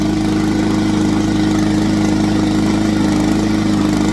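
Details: Yard Machines 20-inch push mower, 140cc overhead-valve Powermore engine: steady even single-cylinder beat at constant speed, firm low drone, no misses or surging; running normally.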